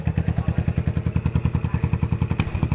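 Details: 2014 Yamaha SR400 single-cylinder, idle after cleaning rust from the fuel tank that caused stumbling: regular low thudding about nine pulses per second, every beat even; smooth healthy idle.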